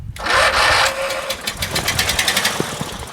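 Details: Craftsman LT1000 lawn tractor, Briggs 19.5 hp opposed twin, sat all winter, choke on, battery charged overnight: starter cranks with hiss, few ragged firings that fade; bad gas and water in tank; won't start.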